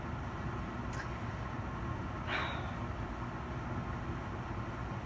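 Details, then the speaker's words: Coleman forced-air furnace after the pressure switch was replaced: it finally lights and runs with a steady, even low roar of burner and blower, no surging, clicking or cycling; owner suspects the old switch was bad; normal furnace operation. "oh there it goes yeah so that was either a bad switch that's all it could be right"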